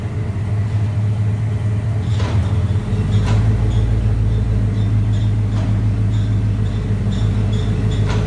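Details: AWD Chevrolet Silverado SS: deep steady rumble with a few sharp, irregular clunks a second or two apart; owner suspects transfer case or driveshaft, driveline clunk origin not yet found.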